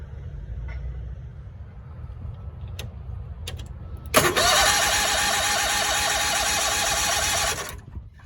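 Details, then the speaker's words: Cushman three-wheeler small engine cranked with its engine load engaged instead of unloaded by the lever: the starter groans, cranking slowly with a heavy, laboured, even beat for about three seconds; starter strain from parasitic load. "It put such a strain on the starting system that I actually heard the starter groan trying to crank over."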